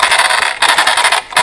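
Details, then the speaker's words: Arrma Talion 6S BLX RC car with all-steel drivetrain (driveshafts, front and center diffs) rolled slowly: loud gritty metallic rasp in surges with brief pauses; normal for the metal drivetrain. "everything in between on the drivetrain is completely metal which does give them this unique noise when they're to when they're moving around"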